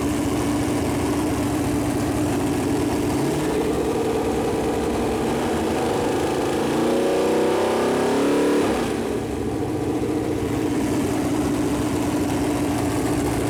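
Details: Freshly built Chevy Performance 454 big-block V8 on a run-in stand, first start, temp around 190, good oil pressure: steady idle, clean pitch rise when revved, settles back smoothly, no knocks or misses; normal idle and revving.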